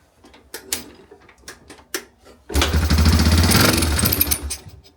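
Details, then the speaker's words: Yamaha AG200 farm bike saved from scrap, sitting about 10 years in a paddock, first start with carb cleaner sprayed into the carburetor: a few light clicks, then the single catches into a steady, lumpy thump and keeps running. "Oh, she fired. She wants to go."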